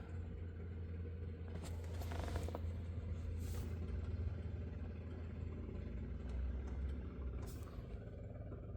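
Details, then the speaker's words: 1928 Model A race car with 4-port overhead valve head conversion, choke pulled and fuel pump switch on before start: low steady electric hum that changes as fuel pressure builds; normal electric fuel pump operation. "There we go. So, now that we're getting fuel pressure, you actually can hear the change."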